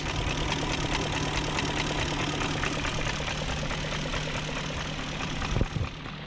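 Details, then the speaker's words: 2001 BMW E38 740i V8 idling after timing chain guide replacement with new tensioner, guides, gaskets, seals and O-rings: steady, even idle, injectors clicking, no exhaust smoke, no front tapping or rattle; timing chain sounds healthy. "no smoking at the exhaust and i hear the injectors clicking new chain tensioner new timing chain guides gaskets seals o-rings and then those oil distributor profile"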